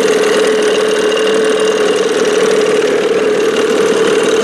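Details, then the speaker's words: 1987 Johnson 6 hp outboard running fast: hard, raspy buzz with a sharp whistle, very loud like a racing engine. Earlier, with the bigger jet, it was so loud it seemed to need a silencer. "It was so freaking loud. I was like, man, this thing needs a silencer on it. I had this thing set at one point. I mean, it sounded like a racing engine."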